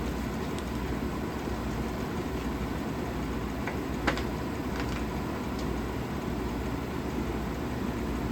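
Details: 1956 Fedders Weather Bureau 6,000 BTU window air conditioner, Tecumseh compressor, after rewiring: steady even hum and low drone with a couple of faint ticks; running normally.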